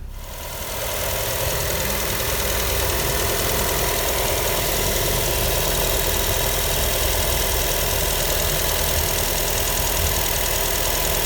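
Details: Nissan Almera, radiator/air-con condenser fan motor at idle: fast uneven mechanical rattle, roughly 220 a minute, steady; failing condenser fan motor noise.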